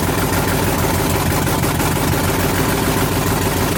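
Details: '78 Dodge Power Wagon with 383 V8, first start in over 10 years on open headers, fed fuel directly as electric pump wasn't filling carb bowls: loud steady even idle with raw bark, no misses or knocks; running healthy.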